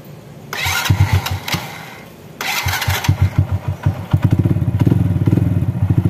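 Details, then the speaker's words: Honda Astrea Grand motorcycle (valve adjustment tutorial) started after setting valve clearance and closing the magneto-side cover: a couple of cranks, then an even, steady idle; valves now quiet, remaining klek-klek clicking comes from the manual hand-clutch conversion. Normal idle. "untuk suara klepnya sudah halus ini suara yang klek klek klek KK klek itu karena motor ini sudah menggunakan kopling tangan atau kopling manual jadi suaranya agak sedikit berisik di koplingnya"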